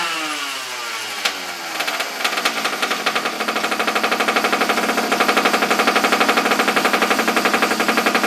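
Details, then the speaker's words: Abandoned small engine, choke on, after regapping the plug for weak spark: catches after a few sputters, then a quick even popping beat that picks up and holds steady. "Sounds pretty good. Sounds like it's lighting finally."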